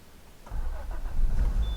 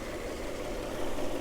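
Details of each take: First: Peugeot 406 Coupe, cranking on a temporary small battery because the original won't hold charge: a short, heavy, slightly sluggish churn before it catches. Owner puts the starter drag down to lack of use. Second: Peugeot 406 Coupe, later 210 bhp V6, newly arrived project car with weak battery, bonnet open, hot day: smooth even idle with steady low hum, no knocks, misses or ticks; ticking over very nicely.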